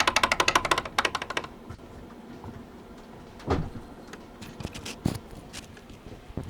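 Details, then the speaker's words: Honda Civic Ferio ES1, old steering rack before replacement with a used rack: fast rattle of sharp clunks while turning the wheel, then scattered single knocks from the rack gear housing; worn steering rack knock. "на старой реки у нас получается вот в этом же месте в редукторе стук сейчас покажу что если у кого такой же достаточно неприятно"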